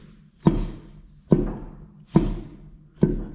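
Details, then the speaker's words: Jeep Wrangler Rubicon, Dana 44 rear axle: four sharp, hollow thunks, about one a second, as the rear wheel is rocked by hand; play found on both sides. Worn rear axle bearings, causing a loose, wandering rear and popping/clicking when weight shifts. "so I'm not sure if this will show up on camera or not but it's both sides there's definitely play in the rear axle bearings on this thing"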